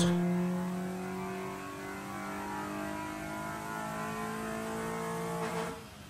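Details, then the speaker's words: Honda Civic VTi D16Y8 on a dyno, heard from inside the car; deep intake growl climbing in pitch under load, clean pull and faster than the previous run, 106.35 wheel hp. "and you can actually notice the dino pool is significantly faster than the previous one right so we know it made more"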